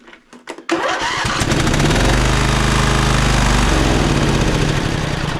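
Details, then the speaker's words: Poulan Pro 700EX riding mower twin with one spark plug wire pulled: a quick start, then a rough, deep chugging idle on the other cylinder alone, proving that cylinder has spark, working valves and compression. "The mower fires up fine, which means that the opposite cylinder over there is working properly."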